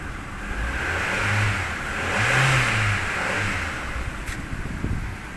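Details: Car sitting over a month with a dead battery, started with a jump pack: the running engine swells through two smooth revs that rise and fall cleanly. Normal start and rev.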